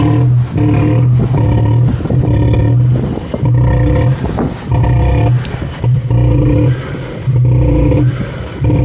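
Engine revved in short bursts with a rough clatter under each rise; a knock is there, but its source can't be pinned down.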